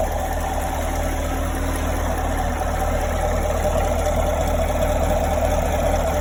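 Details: 2017 Chevrolet Camaro 6.2L V8, about 20,000 km, stock, at warm idle: faint quick tick under the deep rumble; only when warm, rear driver side of engine bay, clearest from below near oil filter/pump; source unknown, owner fears engine damage.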